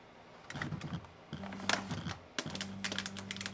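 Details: Electric typewriter after repair, which homed and gave one beep at power-on. A steady motor hum runs under quick bursts of crisp, even keystrikes with no binding or skipping; it is typing normally.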